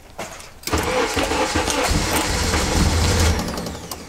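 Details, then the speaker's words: RHD Honda Integra, sat a month with a dead battery: after a forgotten fuel pump plug is refitted, uneven cranking finally catches; hard start, then rough, unsteady low idle with no idle air control valve fitted, so throttle is held by hand. "now a fuel pump wasn't priming but it turns out that I had just forgotten to plug a plug back in so I guess now moment of truth it wants to fire up one more time come on"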